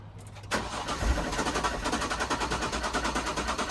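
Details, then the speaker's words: Circa-2000 Jaguar S-Type left in a carport 8–9 years, quarter tank of fuel of unknown age: starter spins, uneven lumpy turning with weak occasional firing, never a clean idle; fuel pump not heard running, suspected; crank no start. "I can't hear the fuel pump running."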